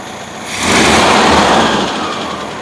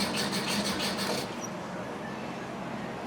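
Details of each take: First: 1971 VW Bus restarted after fixing a distributor advance that was not advancing: fires quickly, swells briefly, then settles into a steady idle without stumbling or popping; normal start and idle. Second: 1971 VW Bus cranking, possibly flooded: uneven starter rhythm with occasional catches that never take hold; a timing light shows spark triggering inconsistently; owner suspects the coil breaks down when hot, though it reads 4.1 ohms, within range.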